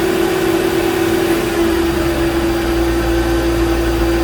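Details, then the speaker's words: Mercedes G-Wagen G500 with M113 V8, engine covers on and everything tightened after chasing a power steering or tensioner noise: steady, even idle with a constant soft hum, no knocks or ticks; healthy and quiet. "we'll go ahead and start her up and let you all have a listen to a nice quiet m113 all right fire in the hole"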